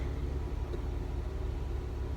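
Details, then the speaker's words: 2012 Jeep JK Wrangler started after replacing the faulty bank 2 sensor 1 O2 sensor (code P0152, circuit high). Low, steady, even rumble with no misses or knocks; no check-engine light comes on. Normal idle. "First, let's hope it just starts. All right, new starter works."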